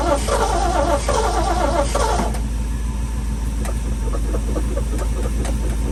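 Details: Long-stored sentimental old truck after a long sit, with fuel far down: the starter churns with an uneven, labouring beat and never fires; extended crank without starting, cause not confirmed.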